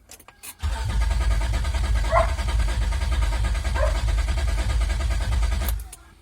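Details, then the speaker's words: 2003 Honda Accord V6 after engine swap (previous engine had rod knock), first cranking with fuel pump fuse removed, oil light still on: quick, even cranking about three beats a second, strong with no drag; normal cranking. "Crank it a couple of times, the oil light should go off. Sounds pretty strong."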